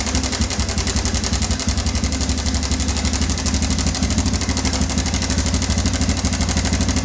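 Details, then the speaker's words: Yamaha Bison motorcycle modified as a bobber, idling: harsh, busy metallic chatter from the engine, not a deep knock; owner feared connecting rod damage needing an engine teardown, but it was a loose cam chain from a broken cam chain tensioner. "Oke, itu suaranya mengerikan sekali, dan si konsumen motor ini dia sudah agak berpikir, dikira itu suara di bagian stang seher atau di bagian dalamnya."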